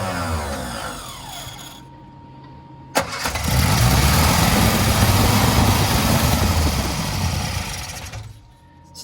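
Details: Barn-find Sprite, with plugs cleaned after oil was added for compression and chokes pushed fully down: it cranks, catches and runs roughly for a few seconds, then falls away. It wants to go but won't keep running; the carbs are to be stripped and gone through.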